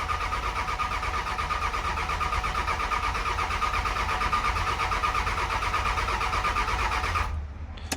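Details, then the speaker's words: Cummins diesel single-cab truck after fixing grid heater relay wires: long steady cranking for seven seconds with no firing and no tach signal; owner suspected crank position sensor, but lift pump connector was found unplugged. "So I do believe we've either got no power going to the crank position sensor or we have a bad crank position sensor."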